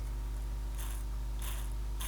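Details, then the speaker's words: Possibly 1970s-era Copal RD-100 flip clock radio, 240 V motor gearbox before lubrication, possibly missing an end washer: steady low hum with dry rasping burst about every half second; sounds unhappy, cause not confirmed. "that does not sound happy"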